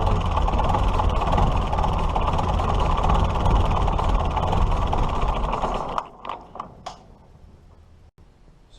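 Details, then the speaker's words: 1941 Case SC tractor with something disconnected; engine roars steady at high speed, never dropping to idle, as the governor pulls the throttle wide open instead of closed; fault inside governor. "see it should it should want to remain in the closed position see it wants to pull itself wide open and it shouldn't be doing that"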